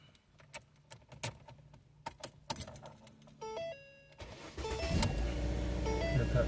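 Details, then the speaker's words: 2008-12 Ford Escape/Focus/Tribute/Mariner after replacing the ignition switch housing to fix a no-crank, no-start: keys rattle and chimes sound, then the engine catches at once and settles into a steady, even idle; clean start, fixed. "easy it starts."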